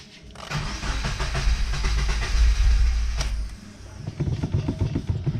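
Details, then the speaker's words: Subaru FA20DIT engine cranked after pulling the fuel pump fuse to depressurize the fuel line: fast steady starter churn with brief catches fading out as it burns leftover fuel, pump disabled. "the car kept wanting to crank over even after we pulled the fuel pump fuse here"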